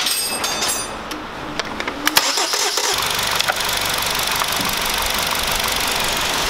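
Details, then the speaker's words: Hyundai YF Sonata after replacing a leaking intake manifold gasket: brief crank, steady even idle with no shaking and no intake sucking sound, engine quiet; water poured on manifold shows no leak; normal start and idle. "It doesn't make any sound of inhalation The engine is also quite quiet"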